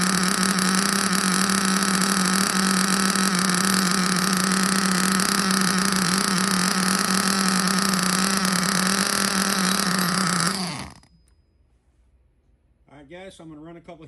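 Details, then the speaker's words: Used Hobao Hyper ST nitro truggy, flooded from too much primer and very rich on the low-speed needle, run through heat cycles before leaning: loud, steady high-pitched buzz at constant revs with a blubbery edge, then it cuts out. "Oh, we're getting somewhere. It looks like she is flooded out pretty good. I think I went a little bit too much on the primer."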